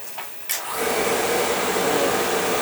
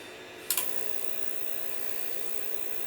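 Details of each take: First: Oil-fired Viessmann boiler, no heat: burner motor spins up to a steady even whir with no flame rumble, oil flow present but pump pressure gauge doubtful; no ignition from dirty nozzle. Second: Viessmann oil-fired boiler, probably with a Beckett burner, after new nozzle and pump pressure reset: click and whoosh on ignition, then smooth even roar with no spitting; burner firing cleanly with good oil flow.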